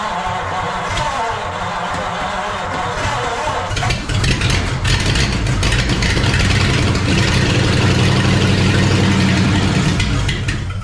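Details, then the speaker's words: 1940 Ford flathead V8, sitting since the late 1970s, no exhaust and no right-side manifold, fed fuel directly. Fires up then settles into a loud, even, lumpy beat with no misses or knocks; healthy. "but the engine starts and runs uh I think just because it actually sounded really good I'm going to probably started again"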